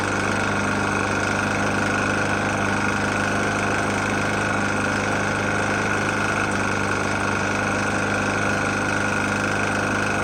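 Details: Murray E450 mower, Briggs & Stratton engine, oil found nearly empty and topped up: steady idle with a hard, even knock on every beat that never fades; the engine is knocking badly, cause unconfirmed.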